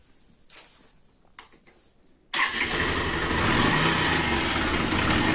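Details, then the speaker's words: 2016 Pulsar 150 motorcycle before repair: fast idle with a busy metallic rattle. The noise is timing-chain noise; the timing chain and adjuster are to be replaced along with the engine oil. "இந்த வண்டி sound பார்த்தீங்கன்னா timing chain sound இருக்கு timing chain sound plus ஒரு timing adjuster மாத்த போறோம்"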